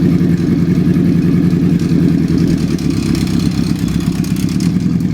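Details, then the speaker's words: Honda CB750 engine being rebuilt, running with a constant metallic clatter of about two beats a second over a rough idle, traced to the broken cam chain tensioner slapping the chain. "look at this that is 100 the sound that i'm hearing if you can picture that in case and there's a little bit of oil and stuff around there and it's making that noise just constantly that is a guarantee that noise that i'm hearing"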